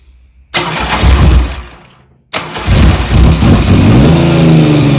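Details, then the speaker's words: 1975 Triumph Trident T160 triple after full rebuild, running for strobe ignition timing check: two throttle blips then smooth even rev climb, clean firing, no knocks; timing near dead on, sounds healthy. "i'm going to start the engine up and then i'm going to fire the strobe and uh see what the engine time is like it sounds pretty good to me"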